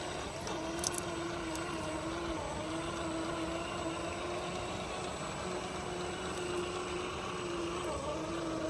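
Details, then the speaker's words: FMS FCX10 1/10 K5 Blazer RC crawler on the trail: soft, steady motor hum at even pitch over running water, no clicks or grinding; drivetrain is very quiet and healthy. "so I wanted to let this thing run for a minute without me blabbing in your ear just so you could hear the truck itself it is really quiet on the trail"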